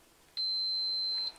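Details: Multimeter's piezo continuity buzzer, tested while repairing a meter that was blown by 1,500 V. One clean, steady high-pitched beep just under a second long, with no crackle or warble; the buzzer works properly.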